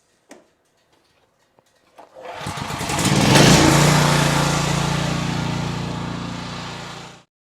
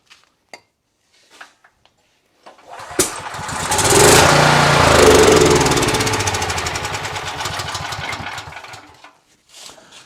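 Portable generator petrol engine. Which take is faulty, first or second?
second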